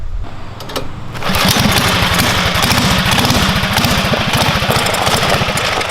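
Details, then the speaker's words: Murray Explorer off-road go-kart with GX270 single-cylinder engine and performance parts, under load: hard, fast, slightly ragged firing; running lean, falling on its face, needs bigger carburetor jet. "So the motor definitely needs jetted up, because that's why it's falling on its face for sure."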